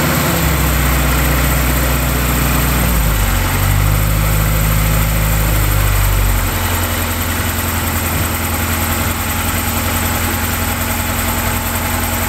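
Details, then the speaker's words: Car that sat all winter with a weak battery, started using a small jump pack after waiting 20 seconds between attempts: a long, sluggish crank that finally catches once fuel reaches the engine, then settles into a steady idle. "that right there was the perfect example of trying to start a car that has sat all winter the battery wasn't in the best of shape and i did have to crank it enough to get the fuel up to the engine before it would start"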